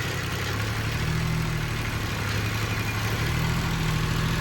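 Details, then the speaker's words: Kubota ZD28 mower, D1105 diesel, after fuel injector cleaning, chilly day: idle keeps sagging and recovering about every second, struggling to hold; engine bogs and sometimes shuts off at low or high idle and full load; problem persists, no leaks. "check out the idle. There you go, it's doing it. You hear the engine trying to boggle down."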